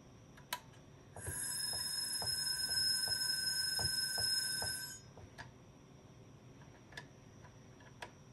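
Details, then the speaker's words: IBM XT 5160 10MB hard drive, sat about 25 years, on 12 V bench with amp meter drawing about 1.5 A: relay clicking, brief high whine and ticks then stops; spindle fails to spin up. "You hear the relay in there clicking. Just does not want to start."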